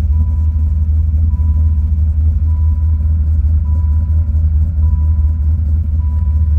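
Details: Rebuilt Dodge Viper V10 after final assembly, with a K&N intake: a deep, even idle rumble with a faint regular chime and no misses or knocks.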